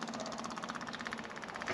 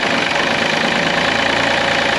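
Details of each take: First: Takeuchi excavator with 5,755 hours, a substitute electric fuel pump wired in to fill the fuel system before cranking: fast, even ticking buzz of about thirteen pulses a second; electric fuel pump running normally. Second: Takeuchi excavator diesel, partially parted out, unknown hours, first start running without the fan belt driving the water pump: loud clattering idle with an irregular knock about three or four a second; oil pickup later found lying in the oil pan.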